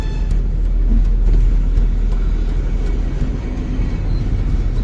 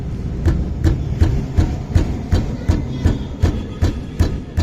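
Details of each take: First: Maruti Wagon R (K series) driving: steady low road and engine rumble with no squeal, rattle or knock; caliper pins had previously caused a clanking noise. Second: Maruti Wagon R K-series car rolling with steady low clunks, about three a second: noise from the brake caliper pins, which were cleaned; the car also has an engine misfire.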